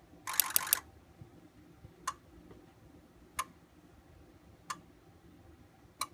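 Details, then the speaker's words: Ford 6.0 Powerstroke diesel running rough, engine off, injector buzz test with IDS scan tool: sharp single clicks about every 1.3 seconds as each of eight injectors fires in turn; one sounds off, confirming a bad injector. "Okay, now with this, we know for sure that we have at least the bad injector."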